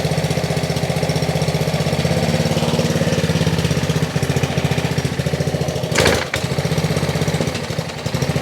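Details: Ryobi RY80940B pressure washer with Honda GCV190 engine, made January 2018, trash picked, first pull start on choke: uneven popping, ragged firing with a stumble midway; carburetor issues suspected, carb cleaning planned.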